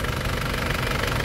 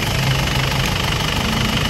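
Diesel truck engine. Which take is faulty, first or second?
second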